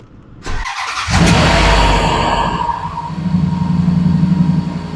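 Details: Range Rover, low-mileage use, burns a little oil, started right after an oil and filter change: starter catches, revs flare briefly, then settles into a steady deep, gruff, even idle with no knocks or misfires; owner says it has always sounded like a tractor.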